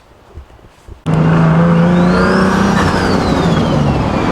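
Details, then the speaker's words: Top-mount turbo car, first start after six-hour reassembly of charge pipe and throttle body: catches and revs cleanly with rising turbo whistle, steady strong note, no ticking or puffing; healthy. "ah feels so nice to hear that again man it's been so long got to love it it's impossible to hate"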